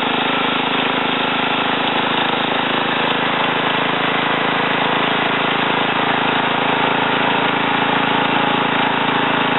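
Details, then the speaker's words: Ariens TA20A Trans-a-matic rototiller after engine rebuild and plate-clutch repair, carburetor untouched, run in a wooded area: small single-cylinder steady, even buzz for ten seconds, no misses, knocks or surging; normal running. "so in any case um i'm going to put this camera back on a tripod and then start it start it up and um run it through the ground here a little bit out my little wooded area"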